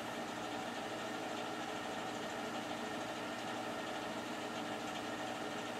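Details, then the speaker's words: Newer boiler, only a few years old and vented out the side of the house, on its first start of the heating season on a cool morning in a chilly house: low, even hum with a soft steady whoosh, no knocks or rattles; very quiet normal operation. "And we are running. This is a very quiet boiler."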